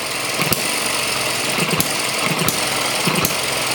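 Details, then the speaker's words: ET6 model hit-and-miss engine running for the first time after an easy start: sharp pops every second or so over light mechanical clatter, firing only as needed; runs steadily and normally. "it doesn't need a lot of rpm i don't think really it started quite easy there she goes [Music] fantastic"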